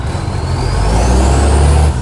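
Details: Canada Bay SL780 garbage truck, a Euro 3 style Euro 5 facelift, revving: a loud, blatting, raw rasping diesel roar that then settles, caused by an exhaust pipe leak (since fixed).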